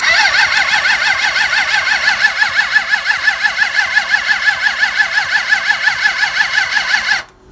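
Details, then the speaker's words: Suzuki GSX600F with a cold start problem, tank off, vacuum petcock on run, cranking on a replacement battery after the first ran flat: steady starter cranking about three pulses a second for seven seconds, never catching; cranks but will not start. "So as you see, the fuel cock is on running. So let's give it a try. It definitely doesn't sound too good."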